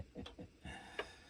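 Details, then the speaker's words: Early dark blue HMV 102 gramophone spring motor: soft low thumps about every quarter second then a sharp click in a quiet room, an uneven thumping and bumping from the motor. "Wow. You hear that? That's thumping and bumping."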